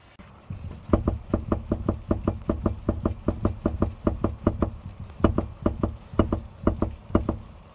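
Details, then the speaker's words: Subaru Impreza GB270 on test drive after one knock fixed: sharp hollow knocks about four a second in uneven bursts over a quiet low rumble; suspension, possibly a shock, suspected. "i think the exhaust was knocking but the suspension is knocking as well i don't know if you'll be able to hear that yeah go again yeah that's shock isn't it yeah"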